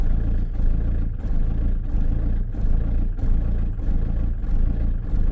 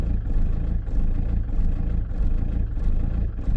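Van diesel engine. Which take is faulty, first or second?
first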